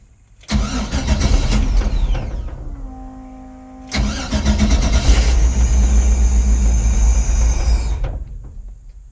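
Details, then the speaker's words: LS-swapped Chevrolet C10 on Aces Jackpot 2 fuel injection, cold start while tuning fuel table: engine cranks, catches roughly, fades and dies, catches again and cuts out; won't keep running. "Why won't you run? Okay. Did not seem to like that."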